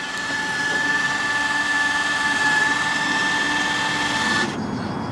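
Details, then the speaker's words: Land Rover Freelander 2 projector headlights with Philips Ultinon LED bulbs, rear covers off: beam adjustment levelling motor gives a steady high whine for about four seconds then cuts out; the motors were blowing the fuse, reflector barely moves. "right so that's what happens the motors operate for a short time now what's interesting is the bulb really doesn't look like it's moving the reflector"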